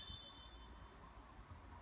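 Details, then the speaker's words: New replacement fan for a Glowworm Micron 30FF boiler, spun by hand: spins freely and longer, nearly silent, with no squeaking or rubbing, unlike the old jammed, laboured fan. "spins freely, spins a bit longer, and basically you can't hear a thing when it's spinning."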